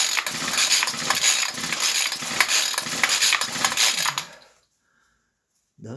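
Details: Ryobi weed eater, first start attempt, choked, air cleaner and cover missing, no tank filter, pipes possibly faulty: repeated rasping pull-cord strokes about twice a second, no firing or catch, then silence; won't start, cause unconfirmed.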